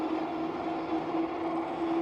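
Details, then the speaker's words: Philodo Falcon ST 60V dual-motor eBike climbing a hill: steady mid-pitched motor whine holding 17.3 mph under load, no grinding or cutting out; normal operation. "It's not the speed, but climbing these hills. You can just hear it just bringing the power on. And it's just holding that 17.3 up the hill."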